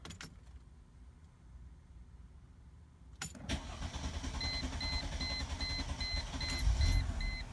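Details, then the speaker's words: Mercedes-Benz C240, crank-no-start fixed by replacing the fuel pump: quiet, then catches after about three seconds and settles into a steady idle with good rpm under a repeating chime; normal start and idle. "Huh. I knew I would get it. RPMs are good."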